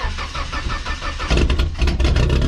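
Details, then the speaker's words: '59 car, sitting for weeks, engine catches into lumpy uneven loping idle, running down a cylinder; spark plug being checked, cause not found; engine misfire. "so we seem to be down a cylinder for some"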